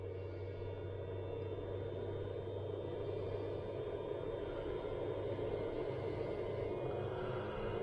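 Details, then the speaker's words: 100 W off-grid solar setup with a 40 Ah battery and 600 W pure sine wave inverter: even, steady inverter fan hum that never drops out or surges, now running consistently after failing the day before, possibly from low battery power. "right so now the fan's going consistently which it wasn't doing before when we tried it yesterday so maybe there wasn't enough power on the battery"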